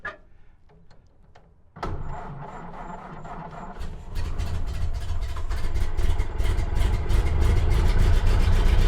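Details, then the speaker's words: 1929 Ford Model A coupe, stock 40 hp engine, sat unused, GoPro on exhaust pipe: cranks, catches, then sharp bangs and pops about four per second over rough idle; backfiring and rough running from contaminated fuel, never ran better. "But I never got it to run any better than that. It just continued banging and popping."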